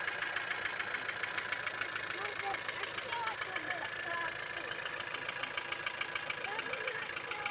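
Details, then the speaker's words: Skoda Octavia A7 1.4 turbo petrol at idle: fast, fairly regular light tapping about three or four per second over steady idle, rattling from an unclear location; engine knock. "откуда-то тарахтит, откуда, не понимаю."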